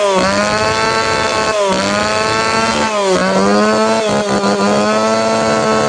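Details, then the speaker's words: Tanaka PowerMate PMS340 two-stroke pruning saw, warm engine, after fuel delivery system repair; high buzz dipping and recovering on each blip, tone ragged and not clear; needs a little more tuning. "เสียงมันไม่ใสน่าจะดีกว่านี้ขอปรับจูนอีกนิดครับ"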